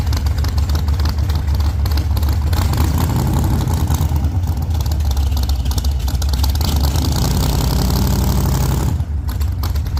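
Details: 1948 Chevy Fleetline small-block Chevy V8, 4-speed, after a fix for push rods breaking on the first burnouts: loud, steady low rumble held at high revs during a test burnout then easing off, no ticking or rattle, running healthy.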